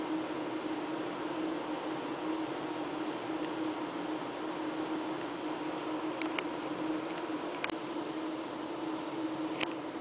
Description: The noise you can hear comes from a ventilation equipment installed this past April 2009 in the boiler room, basement, the past year the loud noise was 24/7.